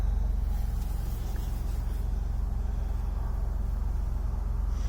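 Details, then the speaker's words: Dodge Caravan, 125,000 miles (212,000 km), started from driver's seat: steady, even, quiet idle with smooth low hum and regular firing pulses, no knocks or misses; normal idle. "this thing's got 125 000 miles on it ever heard anything so start so nice now listen quiet runs nice doesn't it"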